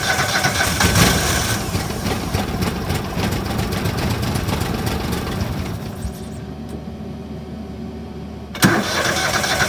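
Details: Argo ATV after sitting all winter, with fresh oil, filter, spark plugs and a new fuel pump: it cranks, catches, runs rough about 5–6 seconds, then dies. A bad fuse that didn't look blown was cutting power to the fuel solenoid.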